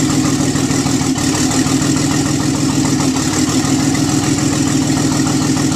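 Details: Nissan 300ZX twin turbo, first startup after the engine was pulled, nearly all gaskets and seals replaced and vacuum lines changed to silicone: loud, steady idle with an even, quick pulse and no knocks or misses; normal idle.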